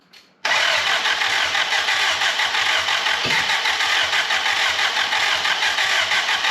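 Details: Willys L-134 engine in a Jeep FC-150 frame, first start since engine work: steady even cranking about six seconds with no catch; turns over but won't fire, spark present.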